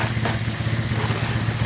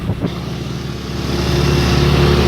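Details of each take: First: Baja 90cc minibike after motor swap, started cold after sitting all day: quick, even low putter with slight vibration that smooths out as it warms, no knocks; much quieter than a similar bike, running normally. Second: Baja 90cc minibike after engine swap, with new pipe and larger muffler: small single runs fast and even, about four pulses a second, still revving a little high; idle adjustment screw set too high.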